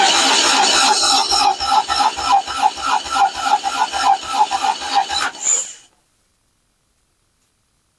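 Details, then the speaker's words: 1990 Toyota truck, compression test on one cylinder: steady cranking at about three and a half beats a second. The gauge reads about 65–70 against roughly 120 expected and is not leaking down, so compression is low. "Yeah, it's another about 70. So, that's not great."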